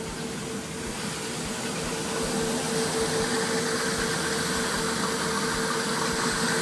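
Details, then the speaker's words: 2002 Formula 37PC boat, both engines idling, heard with the lazarette open: even, steady idle with a soft constant drone and no knocks or misses; both engines running smooth. "hear them i'm sure they're quite quiet once everything's closed up they're very smooth engines"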